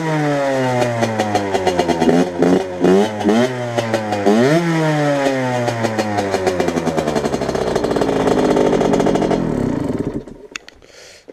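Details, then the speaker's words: 2009 Derbi Senda SM two-stroke with SCR Corse exhaust, after airbox derestriction (8 holes, cover refitted): crisp buzz climbing and dropping cleanly with each throttle blip, no misfire, sound slightly louder; normal running. "oui, elle fait un assez joli bruit. Donc voilà. Il y a quand même 8 trous."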